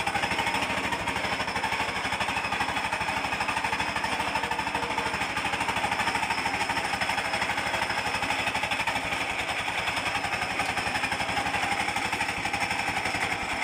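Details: Reduction gearbox with mismatched gears that won't mesh: rough, hard, uneven chattering hum about three pulses a second; owner plans to separate it and fit another.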